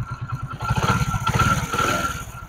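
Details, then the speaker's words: Honda Pridor 100cc motorcycle after repair of bad engine noise by opening the magnet, sanding the face and refitting it with a ₹20 fix: small even single-cylinder thumps at idle, brief throttle blip, no rattle or clatter; smooth. "दोस्तों हमने ₹20 की अल्फी से इसको बिल्कुल ठीक कर दिया और आप देख सकते हैं कितना प्यारा साउंड हो गया"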